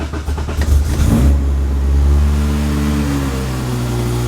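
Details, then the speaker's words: Car with swapped cams on owner's own basic tune before dyno, owner says cams too big and more compression needed: cranks and catches, then idle speed drifts up and down instead of holding steady; idle surge, to be fine-tuned. "it's all right that the car fires up pretty good for uh an aki basement and then this is where it starts to surge so this is where jamie would end up fine-tuning"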